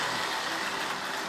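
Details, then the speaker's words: Lionel 1061 Scout-type budget model locomotive running on the track: a loud, buzzy, steady motor whir with a harsh high edge at even speed; this noise is normal for this locomotive design. "all right so you hear the noise and that's normal that's normal for this"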